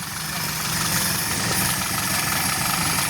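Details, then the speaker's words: Suzuki Forsa carburetor engine after replacing and cleaning the spark plugs and cleaning the carburetor: steady, even idle with a smooth, busy patter and no misses or knocks; runs well. "Kalau di sini suaranya sudah enak banget."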